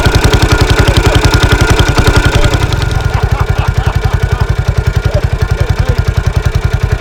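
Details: 1983 Husqvarna 510TC four-stroke single after a full rebuild following fire damage: strong, even thump at about three and a half beats a second, no clatter or tick; a clean, healthy engine.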